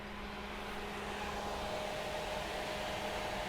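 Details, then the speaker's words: Rover Metro radiator cooling fan switched on via added manual override (Japanese Metro air-conditioning switch) with ignition at accessory: even, steady whoosh with faint constant hum, no rubbing or rattle; normal fan operation. "there we go it'll go off with accessory so some people would say that's a little bit of a bodge and yeah i get that to be fair"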